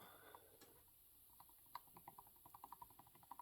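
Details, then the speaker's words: Iron Horse 266XP chainsaw piston rocked on rod by hand during teardown: quiet sharp clicks several a second; wrist pin loose, owner guesses saw ran lean or hot from possible air leak, cooking one side of piston. "maybe it went lean and it cooked this side of the piston okay so now the wrist pin right here is loose"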